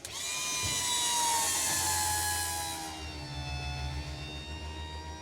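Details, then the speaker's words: 1963 Pontiac Catalina convertible top hydraulic pump with new pump and cylinders, bleeding while the top goes up: steady high electric whine with firm low hum, pitch settling; pump runs smoothly once full of fluid, air purging. "And you can hear the pump, how much better it runs when it's full of fluid."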